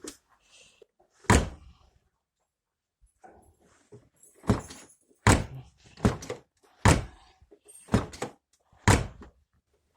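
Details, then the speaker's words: Renault Logan door after fixing creak with homemade syringe bushings on lock retainers plus silicone grease: repeated solid thunks opening and shutting, clean latch catch, no creak or squeak; quiet door latch after repair. "Всё отлично, никаких скрипов, всё хорошо открывается."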